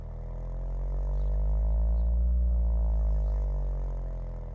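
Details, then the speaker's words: Stereo Integrity BM-11 shallow-mount subwoofer outside any enclosure after 10 minutes of break-in, playing a sweep: the deep tone slides down and back up with breathy puffing at the low end, port chuffing from the rear vent. "yes there is some chaffing if I if I put my hand there it's even worse so yes there is chuffing"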